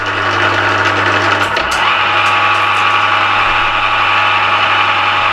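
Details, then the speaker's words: Used Emco Maximat V10-P geared-head lathe shifted from 240 rpm to the second speed position: even gear hum and whine rise with speed, then hold steady and smooth; normal running at higher speed. "I'll fire it up he's a bit noisy that's putting the power on at the moment when there's running at 240 revs but go on in a second position it should jump up to four"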